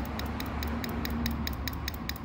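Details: Car ABS hydraulic unit on the bench: solenoid pulsed, crisp regular clicks about five a second, often in close pairs; switching normally.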